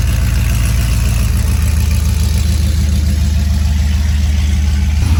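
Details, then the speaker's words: Tuned 6.0 V8 truck (HP Tuners tune, new plug wires) on pickup: deep, steady, even burble with no stumbling or hunting, idling much better; tuner says it may still need new fuel injectors. "thing all right we're picking up the truck the red truck from getting tuned so uh sounds like it's idling way better"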